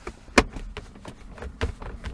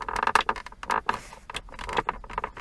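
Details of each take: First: Volvo S60 (around 2004) armrest/console trim after repair with foam insulation and hand cream on the small hinges: dull taps and soft clicks when pressed, no squeak or creak, now quiet. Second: Volvo S60 (circa 2004) center console: irregular creaky squeaky plastic bursts each time the side trim is pressed; plastic trim squeak.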